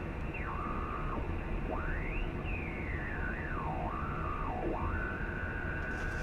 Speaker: if you have the power supply away from you you really don't hear it at all however those bires You Can't Hide because they're coming right to you